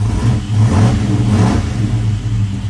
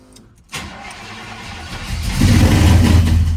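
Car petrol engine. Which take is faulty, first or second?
second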